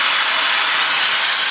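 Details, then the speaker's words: Homemade Joe Woodworker V4 venturi vacuum press built with 2-inch PVC tank: at switch-on a loud, steady, high airy hiss with no pulsing or flutter; comes up quickly toward about negative 21 vacuum, normal operation. "But for now, what we're gonna do is we're gonna actually turn it on, and we'll see how long it takes to come up to vacuum."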